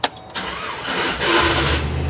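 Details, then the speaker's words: 2008 GMC Savana shop van starting: harsh grinding rasp as the starter cranks, then the engine catches and settles to idle; faulty starter not meshing cleanly, to be replaced. "oh yeah that's definitely a starter I'm going to turn it off and I'm going start it again okay"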